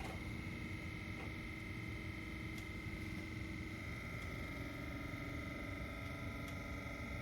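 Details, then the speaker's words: Ultrex trolling motor after a foot rebuild with new armature and seals, on constant at speed setting 4 while finding its sweet spot. Quiet, steady electric whine with faint hum, spinning smoothly: normal running. "It's on 4. This thing will have a sweet spot in it."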